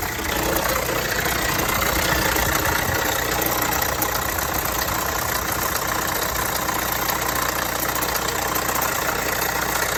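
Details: Vauxhall Astra 1.6 at idle with a busy, fairly regular metallic rattle about two to three per second, present for a few months; dealer found no problem, cause unidentified.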